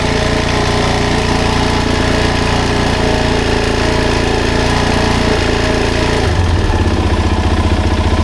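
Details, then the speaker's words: 2007 Suzuki DRZ400S, 11,000 miles, cold start on choke after carb cleaning: single idles evenly with a clean regular beat, then drops into a deeper, steadier rhythm; normal, pretty good cold idle. "Seems like a pretty good idle, right?"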